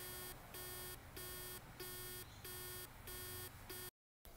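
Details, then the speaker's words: Dropped Seagate Momentus 5400.6 500GB laptop drive (ST9500325AS): repeating short beeping/buzzing bursts at power-on as the spindle motor tries to spin up but is stuck by resistance from a bad spindle bearing; repairing the bearing restored it. "That's the motor trying to spin up. We open this drive in a special clean room. And we can see that there is some resistance on the spindle motor."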